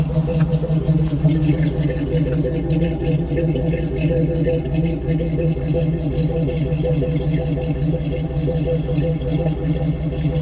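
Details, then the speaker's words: 1992 Jeep Wrangler YJ with swapped 5.3L LS V8 and rebuilt AX15 transmission: deep, steady, even V8 idle exhaust burble, no misses or knocks; normal. "It really sounds good. Okay, I want to Yeah. And it's nice and quiet up here, too. You can barely hear it."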